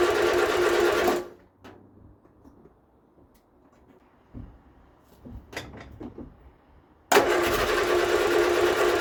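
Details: Vauxhall Viva HC barn find: quick, even starter churning, a long pause, then more cranking that never catches; the engine turns over but won't fire; the owner plans to change the ignition coil, cause unconfirmed.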